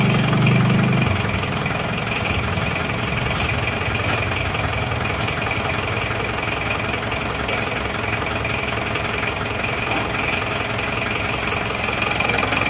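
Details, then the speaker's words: Isuzu Panther diesel just rebuilt with NPR liners and piston rings, injection pump timing too far advanced, to be retarded later: sharp regular knock about three per second over the rumble at idle; diesel knock from over-advanced timing. "Terlalu maju ini timenya. Tapi ora tim. Timing terlalu maju, tapi sementara gini dulu nggak apa-apa."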